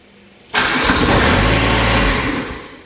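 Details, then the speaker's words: Exmark XS diesel zero-turn mower, parking brake on, throttle about a quarter, glow plugs heated 15 seconds: engine catches cleanly, runs evenly about two seconds, then winds down and dies; failed fuel shutoff solenoid. "and then i'll turn the key so it starts for about two seconds and then it shuts off i'll do it again"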